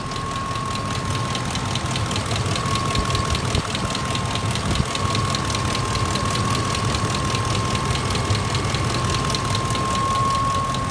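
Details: 2004 Ford F-150 XLT Triton V8, which had been running well, suddenly developed a sharp, even ticking/knocking about four times a second at idle over the engine rumble; owner cannot find the cause.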